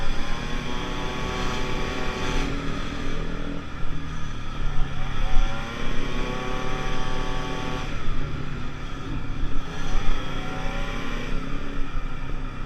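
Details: 50cc two-stroke Pulse Force scooter under load on a road test after a fuel-starvation fix, 14-stone rider: high-pitched buzz rises and falls through several pulls, clean pickup without hesitation, wind in background; normal running.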